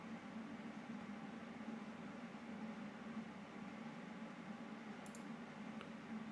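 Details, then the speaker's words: PC fan noise identified as the processor (CPU) fan rather than the graphics card: soft, even whir with faint low hum that never changes; normal CPU fan noise. "ah ça va ah c'est le ventilateur du processeur c'est le a qui fait du bruit c'est pas graphique"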